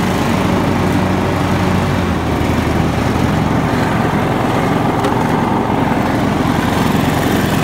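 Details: John Deere LX172 with the PTO engaged after a new PTO switch and fuse: steady, even engine drone holding speed with the blades spinning, no misses or knocks. Normal running under load.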